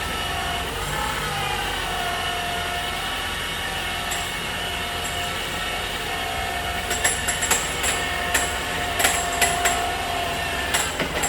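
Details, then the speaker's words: 2018 Ford Fusion Hybrid HF35 transmission, towed in, no park, no check engine light: steady bell-like metallic ringing, then irregular sharp clanks as disintegrated gear debris tumbles inside; suspected failed planetary gear, with metal found in the drained fluid. "That I've never heard before, but I suspect that is a failed planetary gear."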